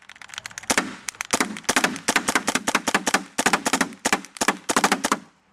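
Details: SLG paintball marker shooting paint: bursts of sharp shots with uneven gaps and stalls, intermittent misfire while light blinks; eyes, trigger replaced and breech cleaned, owner suspects micro switch or board.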